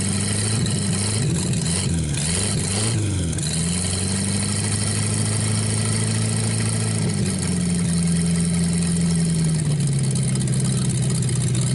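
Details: 1949 Buick straight-8, first start in years, with distributor cap and rotor from a 1950 parts car; after a few blips the engine settles into a deep, even, steady idle, running really good, then run out of gas and left to cool.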